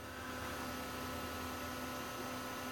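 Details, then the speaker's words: Trash-picked Dell XPS T700r desktop (apparently Intel 440BX-based board, dead CMOS battery) booting Windows 98: hard drive spins steadily with a quiet hum and faint fixed whine, no seek clicks or activity light; likely broken or still thinking. "don't hear any hard drive activity. Just kind of spinning away."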